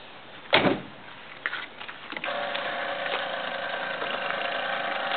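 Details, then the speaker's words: 1964 Saab GT barn find with rebored engine and new rods, key on before start: after a door thunk, steady electric whir with faint ticking as the two fuel pumps prime normally. "you hear the two uh fuel pumps kicking in basically they"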